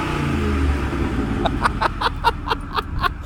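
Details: Car at 208k, otherwise stock, with cold air intake, all 4 catalytic converters unclogged and stock mufflers worn and rattling: deep, raw exhaust rumble with sharp throttle blips; loud, under-silenced; a hanger is missing its bolt.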